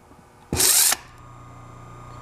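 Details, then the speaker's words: 1920s Century repulsion-start induction motor, brushes returned to their correct notch position: a short brushy rush under half a second, then a steady hum at speed; it starts much quicker than with the brushes misplaced. "think it started a lot quicker."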